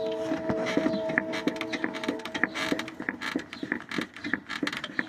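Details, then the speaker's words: Toyota Sienna front strut with the wiper motor removed, rocked by hand: quick clunks and creaks about three a second from a worn top mount bushing; much worse while driving because of the impacts. "Y ese ruido cuando estás manejando se escucha mucho, mucho peor. ¿Por qué? Por los golpes que da."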